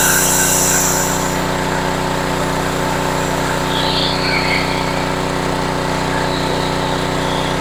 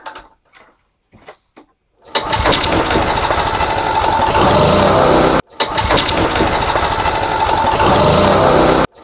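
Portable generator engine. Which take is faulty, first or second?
second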